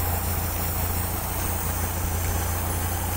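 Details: Toyota 5K engine after valve clearance adjustment: smooth even idle with no tapping from the valvetrain; adjustment successful.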